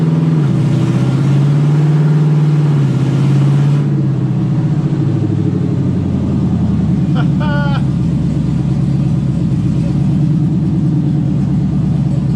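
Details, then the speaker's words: LS-swapped Camaro, after fixing the rear speed sensor: engine pulls then drops as the automatic shifts by itself into second and third with clean, even changes. "i don't know if you could hear it but actually just went in shifted on its own and drive into second and in the third"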